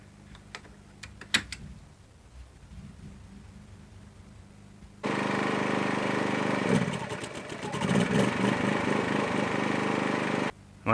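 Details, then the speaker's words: New Champion 1850 watt inverter generator in eco mode just outside the camper, RV air conditioner switched on low cool: quiet idle, then loud strained labor under compressor start load and cutoff; overload tripped breaker/voltage control. "it didn't like it, so this could be a problem. So it sounds like it kicked the breaker outside. Well, test one didn't go well, did it?"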